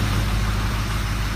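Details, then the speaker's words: 2005 diesel truck, 115,000 miles, first fire-up after a head gasket and stud job, with coolant drained. Deep, even diesel idle, steady low rumble, no misses or knocks. Normal idle. "Here you go. 40, there you go, fire in the hole. It's the first fire up after head gasket."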